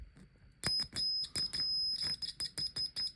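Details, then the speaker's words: Triumph Sprint 955i RS, multimeter in continuity beeper mode with black lead on battery earth, checking earths while tracing the neutral indicator lamp circuit: clean high-pitched beeps as probes touch; continuity beep, good earth. "okay we got this twiddly thing set on beeper mode music mode okay music triangle mode black line goes up the battery Earth so we're checking for Earths"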